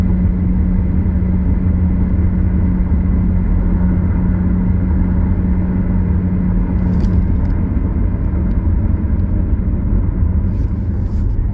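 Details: Car recorded in the cabin while driving: a low drone that increases with speed, heard over road rumble. First suspected a wheel bearing or tires; diagnosis found a bad rear differential (transfer case also involved).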